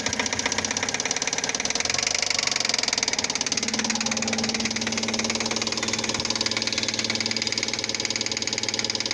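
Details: Fiat Palio Fire 1.0 8v 2005 after oil, timing belt, tensioner and spark plug change: sharp metallic knock about three a second at idle, like rod knock; a spark plug electrode fell into the cylinder head.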